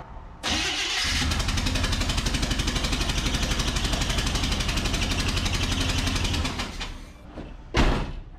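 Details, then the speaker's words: Abandoned 1976 GMC Sierra V8, restarted after sitting about four days, cranks and catches with a rapid, uneven chuffing exhaust beat; not an exhaust leak but a dead cylinder from the missing number-two spark plug, compression about 150 PSI. "That's not an exhaust leak. That is the lack of a spark plug in number two. Yeah, number two's missing."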